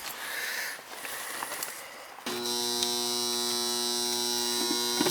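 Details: Goodman outdoor AC unit that fails to start when called for cooling: a steady electrical hum with a buzzy overtone and no motor spin-up. The compressor stalls on start; a bad capacitor is suspected.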